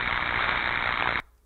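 A steady harsh hiss and crackle, evenly spread with no clear rhythm, then it cuts off: insulation tracking under voltage.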